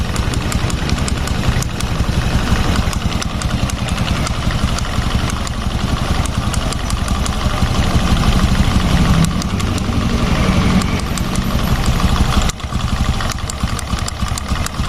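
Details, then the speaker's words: Fuel-injected Honda Revo motorcycle at idle, primary and secondary stationary: loose, uneven tok-tok knocking from the right-side clutch area rides over the idle, pointing to the centrifugal clutch shoes (kampas ganda), judged by reasoning before teardown. "Kita coba nyalakank primer dan sekunder ini diam primer sekunder ini diam tapi suaranya ada tuk koclek koclek koclek nah ini berarti masalahnya ada di bagian kampas ganda ya secara logika gitu"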